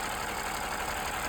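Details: Engine idling at operating temperature after a roughly 30 km ride, with light fast ticking over a steady run; valve clatter absent when cold, blamed on long-overdue oil change leaving engine oil thinned by blow-by fuel.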